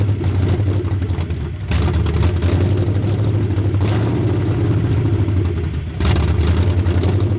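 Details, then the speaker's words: 1981 Mustang 5.0 V8 parked since 1996, fed by a micro electric fuel pump: idle sags, surges and nearly stalls every couple of seconds; no vacuum leak found, and owner suspects distributor timing is off and needs advancing. "I think the distributor is in the wrong spot a little bit, and it's not enough to let it idle."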